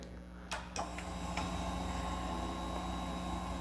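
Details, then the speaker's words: 2014 Yamaha FZ-09 after a flashed ECU install, airbox mod and Sprint filter, at key-on once the forgotten fuel pump connector was plugged in: relay clicks, then a steady low hum with a faint even whine; the fuel pump is priming normally. "So I actually did not plug in the fuel pump. Now I can hear the priming of the fuel pump. And I was looking for priming."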